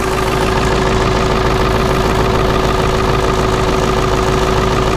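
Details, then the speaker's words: Ford 7.3 Powerstroke OBS diesel needing two glow plug cycles, some blow-by, back pressure valve hiss on cold start; loud, uneven lumpy idle clatter from worn injectors. "all right guys here's going to be my example of injectors and a little bit of blow-by it's not this truck isn't I'd say dead by any means"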